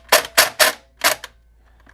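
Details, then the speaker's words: Airsoft P90 with Perun P90 MOSFET, DSG gear and brushless motor, semi-auto test; several sharp full-power shots, then a weak cracked shot and faint sputtering clicks as compression is lost; gearbox piston failure. "Yep. Piston failed. I knew that was gonna happen. That's the sound of a piston failure."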